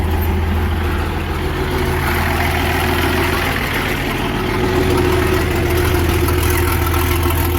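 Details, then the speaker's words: Versatile 800 tractor diesel idling in neutral with its roughly 50-year-old muffler removed, only bare exhaust tubing left: a loud, raw idle with a sharp barking beat of about 200 per minute and a deep drone. "you can imagine, without a muffler on, this thing's probably going to be pretty loud. I mean, that's all that's there for exhaust tubing. So, let's see what this thing sounds like without the muffler on."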